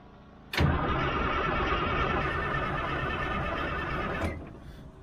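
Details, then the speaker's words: Old 6x6 army truck diesel while bleeding air from the fuel system: starter cranks nearly four seconds with rhythmic compression pulses but never fires; cranks, no start, air in fuel lines, injector pump suspected bad. "the further we can get the air pumped out the better going to be the more likely it's going to crank"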